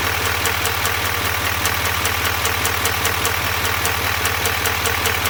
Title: 2021 duramax l5p ticking noise